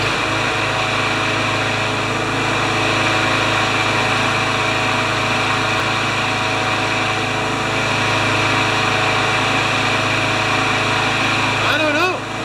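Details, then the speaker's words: 21-year-old Craftsman mower with Briggs & Stratton Quantum engine, hard starting, after tightening the carburettor: uneven running that stumbles now and then; weak ignition coil suspected of giving poor spark. "oh wouldn't be a coil would it it didn't go"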